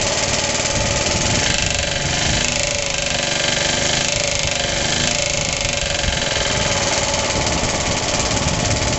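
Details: Suffolk small single-cylinder engine, first start after rebuild, cold and choked, rope-started with the starter bolt missing, idle turned up: steady running with a loud, hard knock riding over it. New since the rebuild, compression good, clutch or shrouding suspected.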